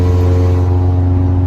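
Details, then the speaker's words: 2003 Honda Element after its catalytic converter was stolen, driving at 70 mph on the freeway: deep, loud, droning exhaust with a heavy low rumble and nothing muffling it; loud exhaust from missing catalytic converter, before replacement. "i'm doing right now that's 70 on the freeway and that's the noise you get from the cattlewood converter"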